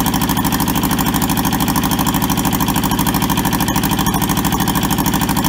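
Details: Toyota SDK4 diesel skid steer, bought sight unseen and arriving rusted and frozen, on its first restoration start: jump-leaded starter and a small temporary diesel tank. Steady, even diesel clatter at about two beats a second, smooth and regular; healthy idle, no misses or knocks.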